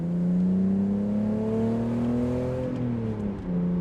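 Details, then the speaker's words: BMW E46, 3.0L six-cylinder, after a clutch and flywheel replacement, accelerating on the road: engine pitch climbs steadily with speed and drops cleanly at the shift with no flaring revs. The clutch no longer slips; it sounds like an E46 M3. "it's actually not slipping [Music] anymore oh why did it sound like an M3 why does it sound like an E46 M3"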